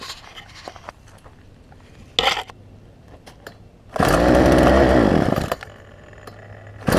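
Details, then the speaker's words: Poulan Pro 18-inch two-stroke chainsaw, warm start after carburetor work (pinched fuel line suspected) and adjustment screw turned four or five turns, no bar or chain: short pull-start bursts, then fires and revs cleanly with crisp, even note; running well. "and so as a result I think I got this thing to run pretty good so let's let's see let's see what we have here it's a warm start because I've been working on it"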